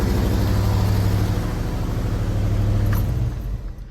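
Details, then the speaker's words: 1984 GMC S15 pickup with V8 leaking fuel everywhere: deep lumpy idle with uneven stumbling beat in the exhaust; one cylinder missing at idle. "It doesn't run terrible, but it's definitely got an issue. So you can hear the miss. She's not happy."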